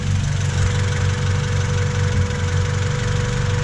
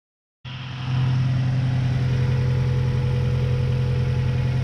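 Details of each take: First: 1999 Honda Civic EK3 hatchback, D15Z6 petrol engine idling before valve clearance adjustment: a light, fairly quick ticking rides over a steady low rumble; owner suspects valve clearance causing the tick, not confirmed. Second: 1999 Honda Civic EK3 hatchback, D15Z6 engine, after valve clearance adjustment to cure a ticky valve noise: steady, even idle with a smooth low hum and only a soft light tick from the top end; possibly a little quieter than before.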